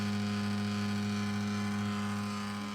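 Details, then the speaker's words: Games console cooling fan, under an hour of Final Fantasy play, roars with a loud constant low drone and steady hum, no pitch change; getting much worse, system super hot. Loud cooling fan noise. "Here's the noise. It's getting much worse."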